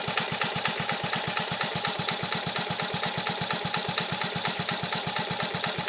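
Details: 1950 REO single-cylinder engine, freshly revived, carburetor adjusted down to a very low idle (these reportedly idle real low): slow, steady chuff with evenly spaced beats, no misses or knocks; healthy very low idle.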